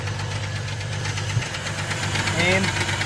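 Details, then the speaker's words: Trailblazer engine with noise persisting with serpentine belt removed, oil below dipstick: quick, uneven ticking about four times a second over steady idle; valve lifter tick from low engine oil, 5W-30 added. "like kind of misfiring that means that it's the valve lifters"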